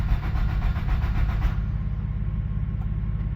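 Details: 1997 Nissan B14 200SX that had sat about 10 years: steady, rhythmic cranking at about three and a half turns a second that never fires; crank no-start. Spark is present; owner suspects dirty distributor contact points.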